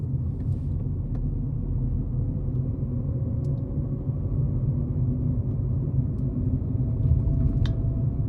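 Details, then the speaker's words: Ford Ka with suspected worn front wheel bearing, no play or rumble when spun on ramp, NVH road test at low speed up to about 20 mph; deep steady droning whoa-whoa noise, faintly wavering with wheel rotation; wheel bearing drone. "so hopefully you caught there there was a droning whoa whoa type noise and I think the maximum speed there was about 20 miles per hour"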